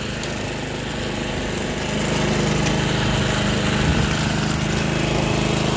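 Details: Toro commercial 53 SP self-propelled mower after refitting a belt that had come off the blade clutch. Steady, even single-cylinder drone with no stumbles or knocks: running well.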